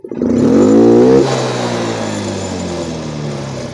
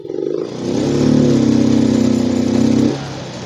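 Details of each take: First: Yamaha Mio M3 125 injected scooter: sharp clean snap from idle to full throttle, then smooth quick fall back; crisp normal throttle response. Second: Yamaha Mio M3 125 injected scooter, sluggish, injector cleaned, fuel pump and TPS normal, stuck around 20 km/h when ridden: throttle eased open slowly, revs climb only partway, hang flat then drop; hesitation traced to faulty ECU, not wiring.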